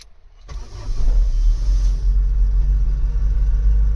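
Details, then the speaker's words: Mk3 Vauxhall Astra 1.6 LS saloon, probably its first start in 12 years, started with a screwdriver because of a broken ignition switch: catches quickly and settles into a steady, even low rumble with no misses or knocks; normal idle. "hey first time it's been started in 12 years probably"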